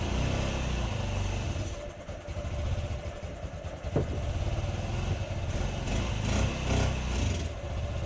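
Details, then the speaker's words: 2008 Honda Ruckus after sitting untouched over five years, fresh gas, spark confirmed, fuel pump heard: small engine sputters and surges unevenly, dying back; runs only on starting fluid. "so we got her to run only using starting fluid"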